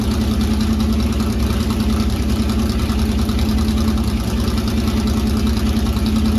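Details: C3 Corvette V8, first start after fitting side-pipe headers (open headers): loud rough rumble, fast steady idle, no obvious knock; idles high only when cold, owner suspects the choke, plans tachometer to check rpm.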